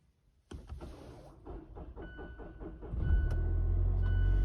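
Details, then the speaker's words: Mazda 2.5L, battery about four years old reading 12.2 V, cold winter-morning start: starter turns over lazily before the engine catches; slow cranking from a weak battery not holding charge. "I've checked it with my multimeter on the battery it's at about 12.2 volts it should be up between 12.4 and 12.6 so that tells me that it's I'm not really holding a charge like it should"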